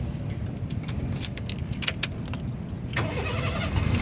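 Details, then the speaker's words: 2006 Honda City 1.5 VTEC automatic, 1500 cc four-cylinder, front-wheel drive, about 148,000 km: brief crank catching straight away into a steady low idle, no stumbling; healthy instant start, no sign of battery or starter problems. "Nah, mobil yang bagus dia nyalanya langsung jreng, jadi dia tidak tersendat ya."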